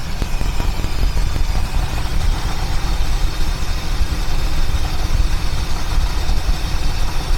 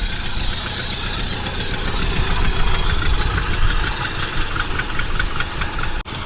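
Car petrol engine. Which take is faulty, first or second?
second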